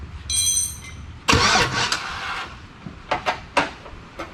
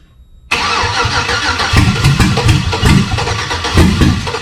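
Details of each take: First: Chevy V8 swapped into a Jeep Comanche, starter wired via makeshift hot wires and the computer not yet powered: chime, then short bursts of brisk normal cranking without catching. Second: Chevy V8 swapped into a Jeep Comanche: starter turns it over in uneven surges but it never catches. Fuel pressure and spark have been confirmed, yet it runs only on starter fluid.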